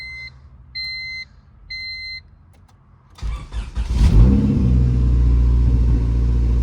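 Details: Honda EM1 after a compression test (readings around 210, gauge suspected faulty): three chimes, the starter cranks briefly and the engine catches into a steady, even idle; sounds like a healthy start.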